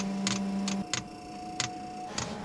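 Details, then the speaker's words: Off-grid diesel cabin heater after cleaning, new glow plugs and a new fuel pump: crisp regular ticks about every two-thirds of a second. The new pump is pulsing normally, drawing fuel from the tank while priming. "The new fuel pump's working. That's good. Uh I can see it taking fuel from the tank. Slowly pulling it through. So far this is very promising."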